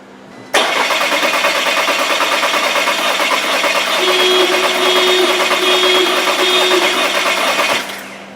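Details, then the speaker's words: 2015 VW Tiguan 2.0T GDI, P0304 cylinder 4 misfire: about seven seconds of cranking, compression uniform then cylinder 4 drops out with manifold pressure spikes, uneven beat; broken spring holding intake valve open. "that's the capture right there so right here our compression is nice uniform and that's when it starts to drop out right there see that Spike and now we have no compression there's the increase in the manifold"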